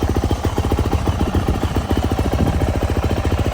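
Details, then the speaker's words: Brand-new 2023 Yamaha YZ450F, first start, not yet broken in: even, steady thumping idle at about three and a half beats a second with no rattle or tick on top; healthy, quiet idle. "See how this thing sounds. This thing is quiet."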